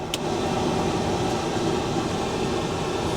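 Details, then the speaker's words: 1988 Volvo 740 GLE, over 430,000 miles, heater blower fan switched on during first look after auction purchase: steady, vigorous rushing airflow with no ticking or rattle; normal blower fan operation. "take off yeah it's quite vigorous isn't it be adjusted I think I think it's safe to say that that's working all right"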